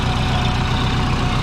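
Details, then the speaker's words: Twin-turbo Subaru at idle while hunting exhaust leaks: even, steady thrum with soft rhythmic puffing from the crankcase breather fed by the scavenge pump, not an exhaust leak; flange leaks, possibly at the GT35 flange, remain. "that little jetson sound is actually a breather so that's from the scavenger pump"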